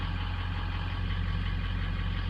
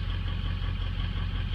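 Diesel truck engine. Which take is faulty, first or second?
second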